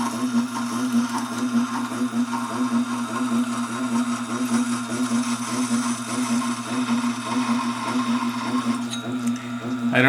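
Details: Tormek SG-250 grinding stone running on the sharpener: steady low hum with a soft, uneven rhythmic rasp underneath at one spot on the stone; owner suspects a problem with the stone, cause not confirmed.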